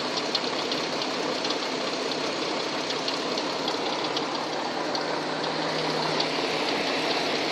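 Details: Hyundai Tucson at idle: light, quick, fairly uneven tapping over the engine noise; engine knock of unclear cause.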